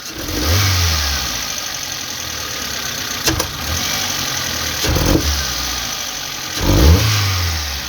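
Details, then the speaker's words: Geely CK with new spark plugs, before replacing throttle position sensor and ignition leads: fine when revved gently, but sharp throttle blips bring stumbles, jerks and backfire pops; misfire on acceleration, cause suspected, not confirmed. "Тобто виходить підстрелює якщо більш-менш потихеньку то добре якщо резко двигун кидає двигун підтраює двигун підстрелює"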